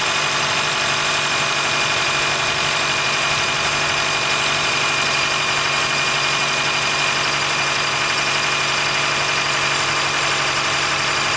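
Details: 2013 Honda Fit Hybrid (FIT3, DAA-GP5, L Package), cold-weather squeal below about 10°C that stops once warmed up; constant shrill whistle-like squeal over a smooth idle with a faint low drone. Dealer saw no error warnings, judged it harmless; source unknown.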